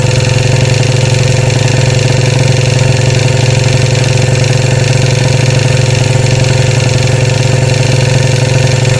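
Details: 2013 Royal Enfield Classic 500 single at idle after engine teardown and rebuild (stray M5x35 bolt found in oil): decompressor noise gone, but a regular oscillating metallic top-end rattle remains; oil level fine, owner plans to check tappets and rockers.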